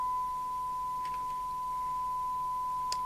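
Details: Rotel RVC220 CB27/81 UK FM CB radio receiving after reverse-polarity repair (audio IC replaced), 100 µV S9 test signal, volume slightly lowered: clean steady mid-pitched tone over quiet hum; receiver audio path working properly.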